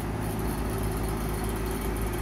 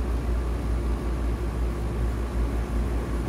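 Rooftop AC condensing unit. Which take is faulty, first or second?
first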